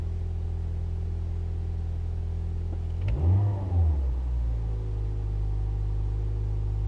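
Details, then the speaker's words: 2006 Toyota Yaris, 227,000 km, heard from inside just after a cold start: low, smooth, slightly fast idle with a brief disturbance midway and no ticking or knocking; the engine sounds very nice. "Yeah, it's got a little bit of a fast idle, but that's because it just started up."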